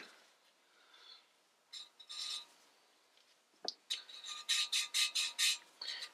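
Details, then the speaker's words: Valve lapping on the B20A5 head from an '88 Prelude during a rebuild: the rasping strokes sound smoother and less gritty as the seat grinds clean, despite WD-40 left on it. "you can hear how you know it doesn't sound as gritty"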